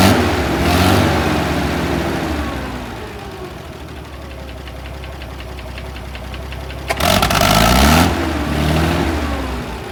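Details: International 656 tractor after carburetor cleaning, first start; engine idles with an uneven stumbling beat and occasional surges, fuel delivery from the carburetor likely at fault, rebuild kit considered if it doesn't clear; engine stumble.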